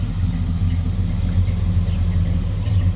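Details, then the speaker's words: 1967 Chevy Nova SS clone with a stroker V8, Muncie 4-speed and 10-bolt posi reportedly with 4.11s, electric fan. Deep, even V8 burble at steady idle with no knocks, misses or whine. Good oil pressure, no smoke, quiet: normal idle. "All seems pretty good. The motor is nice and quiet."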